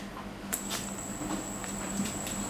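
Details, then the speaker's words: COCOBASS baitcasting reel modified with grade-A short bearings at the magnetic brake, centre shaft and spool: after the flick a thin, steady high whir keeps going with only light ticks; the spool spins freely on smooth bearings. "นะฮะลื่นปื้ดลื่นปื้ดน่ะมีหูยังไม่หยุดนะครับดูนะฮะอ่ะ"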